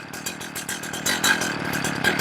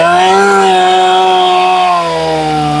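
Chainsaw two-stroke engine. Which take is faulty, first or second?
first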